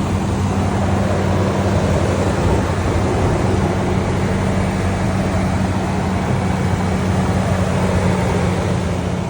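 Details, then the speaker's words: Toyota Tundra V8 after cold start, engine bay open: steady deep even idle rumble with passing big-truck noise behind; running smoothly, normal. "There's also big trucks behind me here, but nice cold start on the Tundra."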